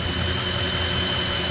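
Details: Ford F-150 with a squeal thought to come from no belt tension on the idler pulleys: smooth, even idle with a steady hum and no squeal or chirp. The engine and belt drive sound healthy.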